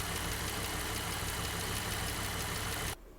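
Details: Valvetrain ticking on a 228,000-mile Jeep JK Wrangler Unlimited Rubicon Pentastar V6: light, uneven ticking about three to four per second at steady idle, after adding Liqui Moly hydraulic lifter additive and a test drive; measurably quieter but lifter/rocker wear still suspected, not confirmed.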